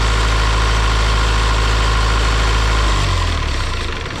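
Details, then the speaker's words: Isuzu 4-cylinder 60 hp diesel from an air compressor, possibly only 60 hours of use, just revived. Deep, even throb at about four pulses a second with no knocks or misses, settling lower; a clean-running idle. "This thing runs like it's brand new. It honestly runs slightly better than the one that's in my skid steer, and I would say it runs perfectly."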